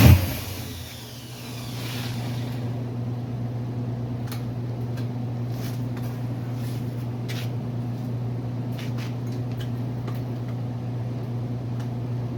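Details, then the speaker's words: Freshly built 350 Chevy small-block on first break-in run, oil pressure around 46 psi, timing not yet set; steady, even drone with no ticking or knocking: normal fast idle. "So I'm going to let it run, turn the idle up, monitor the temperature, and try and stay outside as much as I can."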